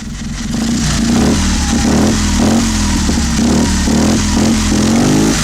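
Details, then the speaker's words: 650cc opposed twin barn-find engine on a single carburetor, old ignition (owner suspects mice ate wires) got running, revved; even firing rising and falling cleanly with throttle, no misses or knocks, no oil smoke, healthy. "The sound is just beautiful. When I start it up, my heart skips a beat. That's for sure."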